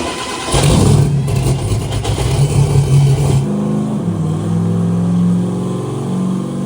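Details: Turbo Corvette "Ruby" run on Ignite E90 ethanol blend, run number 2, fuel raised 30% for consumption, no timing change: deep strong V8 roar pulls hard and clean under load, revs fall away smoothly, no misfire; normal turbo engine pull, big gain.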